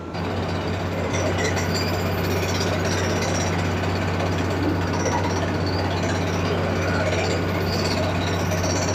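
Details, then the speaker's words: Water-well drilling rig, down-the-hole air hammer about 12 ft long, firing once about 7 ft down: steady rapid hammering rattle over a constant deep engine drone, even throughout; normal hammer drilling. "Once it gets down about 7 foot, then you start firing. Because the length of the hammer is about 12 feet."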